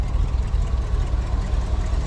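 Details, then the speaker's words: 1956 Dodge C3 farm truck V8 idling deep, lumpy and even through old-school glasspack mufflers; no lifter ticks or noises, idle runs nicely. "you can hear it running there we've got some old school glass packs there firing up"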